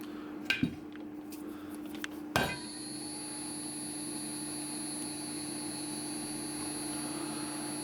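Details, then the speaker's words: Replacement blower fitted in a BST 863 hot-air unit whose thermal fuse was also blown: handling clicks then a steady even high-toned whir, pushing air but not heating; blower itself runs normally. "yeah it's pushing air but why is there no"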